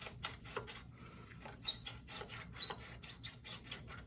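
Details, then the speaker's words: Seized, corroded brake caliper slide pin on a Toyota 4Runner (4.7 V8, 265,000 miles) gives dry, uneven scraping rasps about once a second as it is pulled from its bore after being freed with a hammer. "And these slides do not move at all. They're seized. I had to break them with a hammer."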